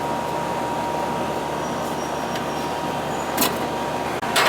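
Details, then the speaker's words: Old R22 AC condenser fan after replacing a dead capacitor that caused surging and likely stopped it starting: steady, even fan whoosh and constant low hum, no rise-and-fall surging; running good. "It's running good. Good. Before, you could hear it surging. You could hear it surging, like the fan."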